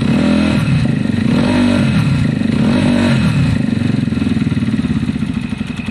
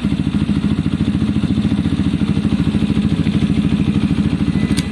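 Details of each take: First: Zontes fuel-injected motorcycle with cutting-out problem, after fixes: steady single-cylinder idle thumping about four times a second with a faint light tappet tick on top; normal idle. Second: Zontes fuel-injected motorcycle that kept cutting out, idling around 2,500 rpm: slow, lumpy idle with an uneven beat about three to four pulses a second; idle set slightly too low, to be raised.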